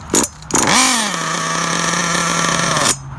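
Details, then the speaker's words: Losi 8ight RTR nitro truggy after needle adjustments: engine fires with rising buzz, holds high rev about two seconds, lurches forward and cuts out; clutch bell going chit-chit — broken clutch spring. "You hear that noise, you hear the clutch bell going chit-chit, chit-chit, and then it shuts off because we have broken clutch spring."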